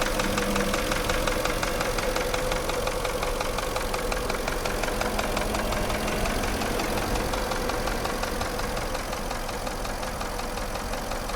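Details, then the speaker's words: Porsche Cayenne at idle: dull, regular knock about three times a second, piston knock from damaged cylinder walls, usually cylinders 5 and 6; endoscope diagnosis recommended. "наблюдаем характерный стук двигателя автомобиля Porsche cayen стук связан с проблемой в пошле вой группе повреждены стенки цилиндров как правило пятый шестой"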